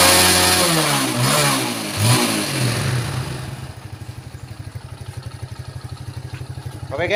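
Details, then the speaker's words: Yamaha Jupiter Z1 motorcycle engine after reassembly and fresh oil, fixing a previous shop's faulty repair; engine catches and revs, then settles into an even, steady pulse with no knocks or rattles; running normally. "sudah Mantap ya sudah kita gas B"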